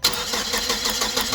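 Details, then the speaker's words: Hyster S70FT forklift with GM Vortec 2.4 engine, waste-spark system, test light on coil for cylinders 2 and 3 while cranking: steady fast starter beat, no firing; crank, no start, no spark from coil. "see if we can see the spark jump by cranking there's nothing it's actually deep"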